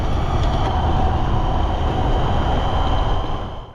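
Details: 72V BBS02 mid-drive on Phaserunner (25A battery, 75A phase) that broke down: loud rough low rumble with uneven rapid chatter under drive; suspected loose rotor magnets scraping, unconfirmed.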